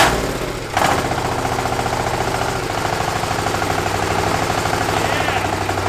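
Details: 1300cc Chinese diesel V-twin on a strapped stand, first startup: catches after a brief crank and settles into a steady, even, fast knocking beat with clean throttle response; runs healthy, normal running.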